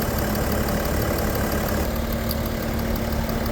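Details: 2010 BMW 335d diesel, warmed by holding revs around 2,500 for a few minutes: a steady, even diesel clatter with a smooth low rumble at warm idle, no misses or knocks, healthy.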